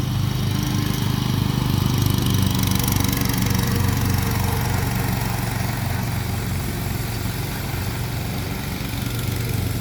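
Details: Kawasaki small engine, after an ignition coil swap using a John Deere 401v coil to fix a no-start, runs with a steady, even putter, no misses or surging; smooth, healthy running.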